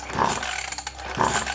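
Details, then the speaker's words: Old two-stroke mini dirt bike, being restored, with a small amount of 50/50 oil-mix fuel added: two quick pull-start strokes churn it over with no firing. Cranks but won't start; spark is the next thing to check, suspected no spark. "okay that did not do it okay so I guess on to the next thing really all we can do now is check the partk that is the next major thing that we could check that will stop it from starting"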